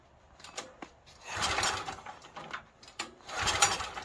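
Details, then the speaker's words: Stanley 8000 W generator bought used and left sitting four years, pull start with choke: two short whirring recoil pulls about two seconds apart and it never catches, cranking but no start; owner suspects a stuck float and will retry ether. "Let me try the ether again. It could be that the float ball stuck."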